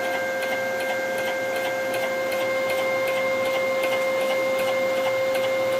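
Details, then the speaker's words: Home-built CNC machine, axis jogging on a ball screw: steady motor whine with a light regular tick about two and a half times a second; the owner suspects the ball screw bearing mounts. "i look forward to hearing what you guys think this issue is with the bearing mounts and i suspect it's right i mean it sounds like it's coming from each bearing mount or or in the bearing spot potentially for the ball screw mount"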